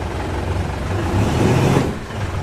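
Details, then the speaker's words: Mitsubishi Montero after rear brake pad replacement for noise from both rear wheels, sudden stop test: rolls and pulls up sharply with only engine and tyre noise, no squeal or scrape; the brakes are quiet now. "Nakita niyo naman mga boss pag nagpepreno ako kahit biglain ko, wala ng lumalabas na ingay dito sa preno niya."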